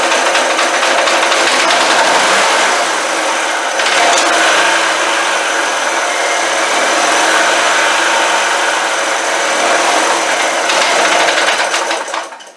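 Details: Old generator, given about 10 years ago, carburetor float freed by tapping to stop a gas leak: the small single-cylinder engine catches and runs with a fairly steady buzzing rhythm, then winds down; it runs after long storage.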